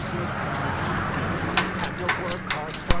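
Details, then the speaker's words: Swaraj 735 FE tractor with Lucas TVS starter, no start: about seven sharp clicks, roughly four per second, with no cranking; starter must be opened to find the fault. "अभी cut cut आवाज़ आ रही है। स्लप खोलना पड़ेगा तभी जाके पता चलेगा इसमें क्या प्रॉब्लम है।"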